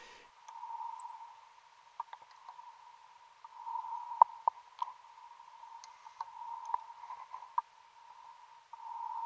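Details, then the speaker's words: AP Inspiration rebreather handset on an 80 m wreck dive giving repeated irregular electronic beeps over faint bubbling: cell warning, one of three oxygen cells misaligned with the other two. "you'll hear a beeping noise and that's me looking at the handset on my AP inspiration as you probably saw there's a red line that said cell warning that's not great it means one of the three oxygen cells is misaligned with the other two"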